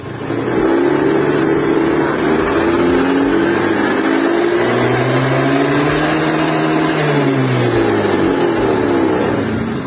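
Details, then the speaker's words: 2017 Honda Beat scooter after repair for stuttering and power loss, fuel pump replaced: engine note climbs and falls cleanly through the revs with no stumble or flat spot; pulls strongly bottom to top, normal acceleration. "namun sekarang udah sembuh jadi dia tenaganya dari bawah sampai atas tarikannya dia ngisi"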